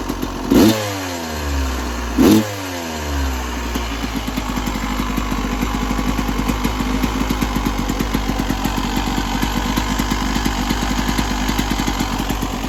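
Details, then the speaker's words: 1996 Yamaha YZ250 two-stroke after carb tune-up (previously weird low-end idle, suspected pilot jet), coolant topped up, still cold at about 13 degrees: two sharp throttle blips, then steady even popping idle with no misses or stalls; healthy. "I'm going to top up the coolant and fire it back up. Okay. Already sounds good."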